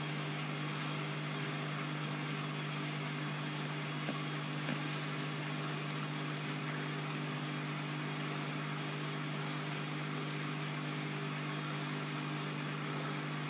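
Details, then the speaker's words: Bosch WFF2000 washer, Cottons 90 with towel load, spin after first rinse, owner expects cutout near 800 rpm; it reached 1000. Steady drum hum with faint uneven rhythm; load looks out of balance, machine needs levelling: unbalanced spin. "I get the feeling this will get to about 800 and then cut out, because it does look really out of balance."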